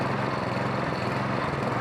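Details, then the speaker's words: MTD snowblower, with fuel in the tank, on a little choke: engine chugs unevenly with speed hunting up and down as it starves; probably a plugged pilot jet running it lean. "It's starving. It's coming apart again."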